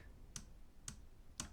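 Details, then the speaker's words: Lenovo Yoga Slim 7i Pro laptop after two weeks of use: sharp, slightly buzzy clicks with a little rattle when soft-clicking the trackpad at its bottom corners, absent elsewhere on the pad. Trackpad click rattle. "you hear it the little rattling noise down in the bottom corners when you do the soft click but as long as you click on anything but the very bottom here it is not there"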